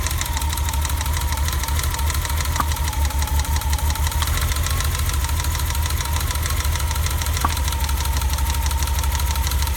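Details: BMW E30 at idle after a new distributor cap and rotor: an uneven, stumbling beat with dropped pulses and faint ticks over a low drone. The misfire persists.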